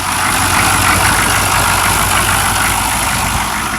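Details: 6.5 turbo diesel idling just after a cold start, after sitting for a few years and long cranking on two good batteries: steady clatter, even low throb, no knocks or misses. Burning a little oil with blue smoke. Normal idle.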